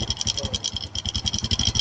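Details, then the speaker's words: Honda Nice 110 motorcycle idling after owner starts it: fast, even metallic ticking over the single's idle, caused by a stretched, slack timing chain and parts worn with age; engine should be shut off, chain removed. "อ่าครูก็บอกว่าเสียงเครื่องแบบนี้ดับเครื่องเลยครับเกิดจากโซ่ราวลิ้นเนี่ยมันยืดมันหย่อนแล้วก็พวกอุปกรณ์ต่างๆเนี่ยมาสึกหรอตามอายุการใช้งาน"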